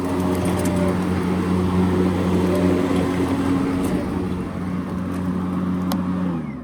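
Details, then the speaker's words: EGO Power+ T6 TR4204 42-inch 56V electric riding mower at highest speed, blades engaged at highest setting while driving: steady vacuum-like whoosh and low even hum masking the drive motor; normal mowing operation. "You know, when the blades are engaged, it sounds like a high-powered vacuum cleaner, and you can't even hear the engine when the blades are going."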